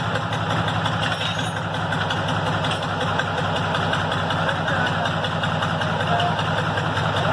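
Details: Restored Tata truck diesel, said to be a Benz-derived 1210 engine, after cold start; steady even diesel clatter at settled idle with no misses, knocks or hunting: normal cold idle after engine restoration.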